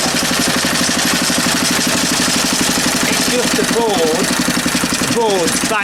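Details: Small engine after refitting the flywheel key and setting the air gap; note changes slightly but steady even firing, no misses or knocks. Earlier sheared key and shifted flywheel blamed on own mistake; now runs cleanly.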